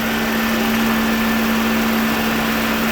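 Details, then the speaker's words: 2009 Dodge Journey after radiator replacement and crash repair, coolant not yet hot: a strong, even whirring hum at constant pitch with no rattle or scrape, moving a lot of air. The radiator fan is operating normally. "There's the fan coming on, which is nice."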